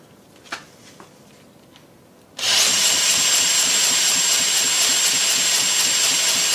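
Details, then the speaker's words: Rebuilt Lynx 15 small engine, compression slightly down, head without gasket sealer, cranked by electric starter; high steady whirring with no firing beats; cranks but won't start. "another sausage it's got enough compression so checking that we've got spark and that the timing is correct"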